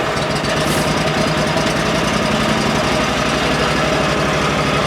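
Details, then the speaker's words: 2004 Hustler zero-turn mower, previously no-spark, starting on a jump pack because the battery is low: steady, even thrum with no misses. Owner suspects a corroded ground or stuck ignition switch freed by jostling wiring. Normal idle. "So, but honestly, you got some good troubleshooting in and started right up."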